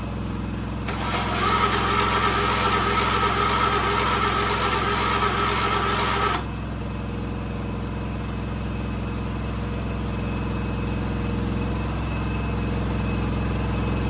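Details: 1976 John Deere 300 with a dead battery, jump-started: brief louder crank-up, then steady low chugging idle with an even beat; engine idles normally.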